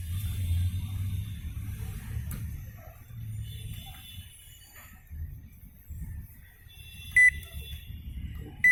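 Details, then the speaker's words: LG MC-7688DP microwave: an uneven low droning rumble swells and fades while running, then beeps; the fan motor is noisy, at times very loud, and needs greasing and rewinding or replacement. "जो आवाज़ आप सुन रहे हैं ये मोटर की वजह से आता है।"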